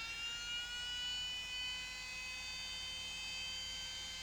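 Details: Panasonic AG-4700 S-VHS recorder (similar to NV-HS1000) booting after swapping in another head drum: thin, steady high whine with faint tones, fault exactly the same, E9 shown; power supply and main board already swapped, cause still unconfirmed.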